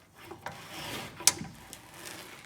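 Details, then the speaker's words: Skoda Superb, loud noise when turning the steering wheel; suspension checked, sharp clicking traced inside the steering rack over soft scraping; rack needs replacing. "after checking the suspension what we have noticed the noise at the turning it comes from the steering rack and we're gonna experience now the noise can we turn the steering wheel now so this clicking noise is it is inside the steam rack"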